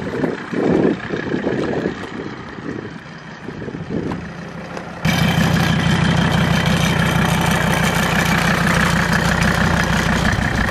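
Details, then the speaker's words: Mercedes diesel after Seafoam treatment in fuel and oil: after handling noise, steady even idle clatter with no stumbles; valves no longer sound loud, and any rattle heard is a vibrating tractor flap. "the motor sounds like way better doesn't sound like the valves are gonna come through the valve cover but that tractor flap vibrates so bad so whatever you're hearing is that the engine sounds very very good"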